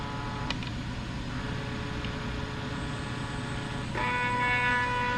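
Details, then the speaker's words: AutoDOD brass case machine stepper controller at slower speed: steady buzzing hum with a choppy pulse and tonal whine; medium speed is noisier and choppier than a smooth drive. "but most guys who get best brass finish use the medium speed which produces good results don't get me wrong it's just noisier and choppier than you know being really really smooth"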